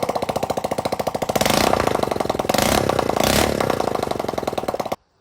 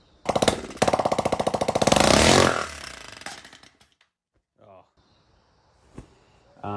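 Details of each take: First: Go-kart project small single-cylinder engine after getting it running: putts evenly, picks up cleanly on two short throttle blips, then shuts off; runs fine, before exhaust pushrod later fell off. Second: Go-kart engine, day two after getting it running: fast sharp firing pulses, then rough clatter as it winds down and dies; exhaust-side pushrod fell off its rocker, leaving the ball, so the exhaust valve wasn't being actuated properly.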